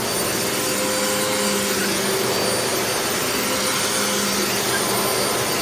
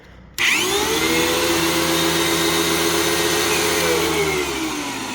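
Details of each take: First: Previously rebuilt vacuum that sat outside about a month and was rained on. Owner feared the bearings would lock up, but it runs normally with a steady high whir and no bearing growl. The brush roll may rattle slightly. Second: Early TTI vacuum switching on to a strained, high steady motor whine, with a noise like a Bissell with bad bearings. Brush roll works but there is almost no suction; the filter is clogged and the cyclone possibly is too.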